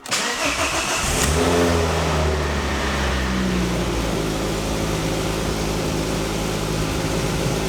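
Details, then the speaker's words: Mk2 Ford Focus ST petrol engine, stood for 18 months, first start after new coil pack, spark plugs and oil: cranks, catches with a quick rev flare, then settles into a smooth, steady idle, no longer misfiring. "sounds good she definitely sounds good sounds midnight definitely not misfiring anymore sounds sweet considering it's been stood for 18 months"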